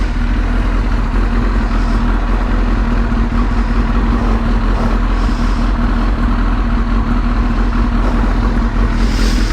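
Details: Suzuki GSX-R motorcycle: loud, steady engine note at an even pace, no misses or knocking; bike runs healthy.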